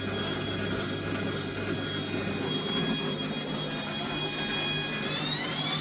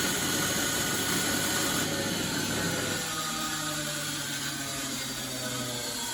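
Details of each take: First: Bosch WFF1401 washing machine motor after motor bearing replacement, back panel off: steady high whine climbing smoothly in pitch, no rumble or grinding; normal motor run, much quieter than before. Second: Bosch WFF1401 washing machine after motor bearing replacement, back panel loosely in place, fast spin: loud rushing roar with whining tones drifting in pitch; sounds rough, separate unexplained noise from the front, cause not pinned down.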